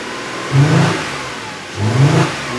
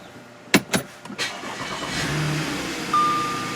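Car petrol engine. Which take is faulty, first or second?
first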